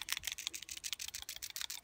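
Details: Citroen C1/Peugeot 107/Toyota Aygo 1.0 petrol PCV valve, hand-shaken after cleaning with brake/contact cleaner (cleaned in an attempt to cure rough running, slow throttle response, high fuel use): quick light rattling clicks, about seven a second; plunger moves freely, not stuck, sounds far better than before.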